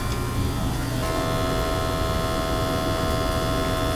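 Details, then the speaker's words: Gas boiler previously giving high CO, after burner cleaning: steady even hum with a low rumble and unwavering tone, no surging or rattle; burner firing smoothly, undiluted CO 35 ppm, under 50. "That's fine right there, 35. Under 50 on the undiluted. I'm fine there. Clean burners, good CO levels now, so that's it."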